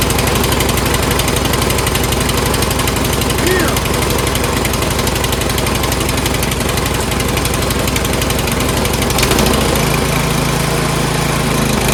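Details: Troy-Bilt Storm 2410 two-stage snowblower, single-cylinder engine, old carburetor already cleaned repeatedly: fast, uneven beat hunting for speed, still surging; runs fine only with choke halfway; stuck float needle suspected for earlier no-start.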